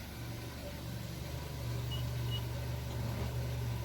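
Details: Nissan Versa idling in park after diagnosis and repair of P0705/P0706 transmission range sensor (PRNDL input) fault: smooth, steady idle with an even low hum, no knocks, ticks or stumbles; running normally.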